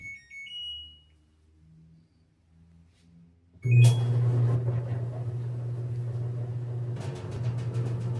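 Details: Clothes dryer after a knocking-drum repair with new roller wheels: a few control beeps, then the drum runs with a steady low hum and no knocking or thumping; sounds healthy.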